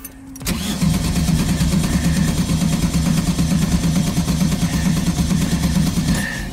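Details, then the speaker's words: 1971 VW Type-3 Squareback 1600 cranked on a jump pack because the battery is weak: the starter churns evenly for several seconds without a single firing stroke; no start because the ignition points were left disconnected. "oh you know what there's something else smart that I did earlier that's stupid of me to not reconnect I disconnected the points"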